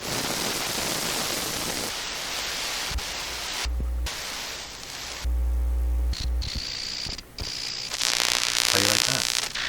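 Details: TACT TPR-61 Japanese mini record player on radio: hissing static jumping in level with bursts of low hum and dropouts; the volume control doesn't work well. Radio static.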